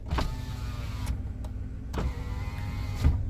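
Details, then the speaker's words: Nissan March pre-purchase check, auto up/down power window pressed once each way: short even low whirrs starting and stopping cleanly with no grinding or straining; window motor and auto function normal. "kita pijit sekali ke bawah Dia otomatis kita pijit ke atas Oke ini berfungsi normal ya autonya"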